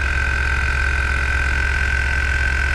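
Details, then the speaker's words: 2016 Infiniti QX80 with sagging rear, compressor already known to work, just after air leveling switch replacement, vehicle on a jack; steady electric-motor drone with mid-pitched whine, no cycling or labouring as the body rises; normal compressor operation. "I know it wasn't the a compressor cuz that was working the only other thing would be the shocks were bad it should shut off automatically"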